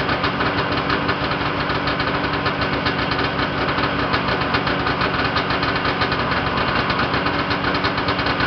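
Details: Yamaha Enticer 340 two-stroke snowmobile, first start after rebuild with new Wiseco pistons and bearings, hot rods, custom forged balanced crank, Uni filter: busy, even crackle at steady idle, no hammering or misses, very smoky; running healthy.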